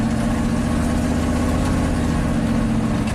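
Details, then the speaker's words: 1987 GMC Sierra V8 plow truck at full throttle on a roughly 20% steep driveway after fixing a suspected bad ground at the spark module: deep, even rumble with no misses or stumbles. The earlier stalling under throttle is gone. "I'll give it full throttle here. Woo-hoo. Oh yeah, sounds like a beast. Hasn't skipped a beat yet."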